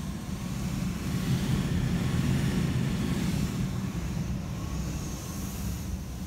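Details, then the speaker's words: Oversized attic HVAC system with poorly designed, reconfigured ductwork: steady low blower rumble swells and eases over several seconds as it strains against high static pressure, pushing then pulling back; blower surging. "that sound is the blower fighting against pressures as it's trying to work really hard but it pushes and then it figures out that it's pushing too hard push pulls back a little bit"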